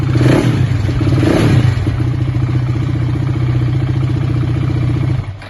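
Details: 690 single-cylinder, started cold: fires with two sharp revs, idles roughly for a few seconds, then dies. A cold-start fault, cause unknown.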